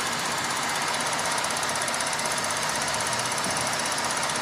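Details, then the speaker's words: 2007 Saturn Outlook 3.6 L V6 at idle: fast, even ticking over engine hum, seeming to come from underneath a component at the engine area; cause unknown, dealer couldn't identify it. "hello this is a 2007 Saturn Outlook 3.6 ler V6 and I'm curious to know what that ticking sound"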